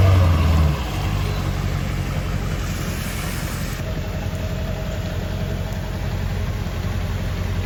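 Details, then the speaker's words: Dodge Charger idling after a jump start: an even, soft low rumble holding steady with no misses, taps or hunting. A smooth, healthy idle. "This thing idles super super well. Not sure if the you'll be able to pick up the idle a whole lot on camera right now, but idles perfectly."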